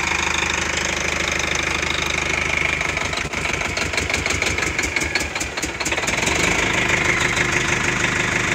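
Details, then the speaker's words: Old military truck diesel suspected of having a dead injector: harsh drone with an uneven, lumpy beat and irregular knocks, like a cylinder dropping out; misfire suspected from the injector, not confirmed. "It's got an injector down, I believe."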